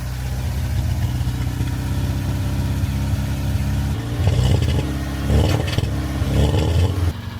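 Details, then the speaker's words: Mk3 Ford Fiesta petrol engine after refitting the cylinder head following a burnt inlet valve, new oil and filter: idles smoothly with an even deep exhaust note, auxiliary belt slightly squeaky. "Oh my word, that sounds amazing. Oh my words. That is purring away. That is purring away."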